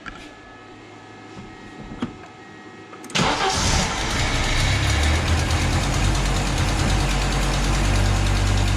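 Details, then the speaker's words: 1985 Audi Coupe (Type B2) petrol engine starting after spark plugs were sand-blast cleaned and re-gapped to cure a misfire; it catches and settles into a steady, even idle, a huge improvement. "Better. That's better. Nice. Huge. Yep. Huge improvement."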